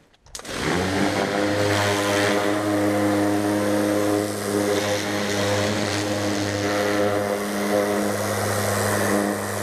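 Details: New Kärcher HD 8/18 pressure washer (800 L/h, 180 bar) with rotating turbo nozzle: strong steady pump drone with an even whirring rush, loud like a helicopter, strong trigger recoil, no surging or knocking; healthy.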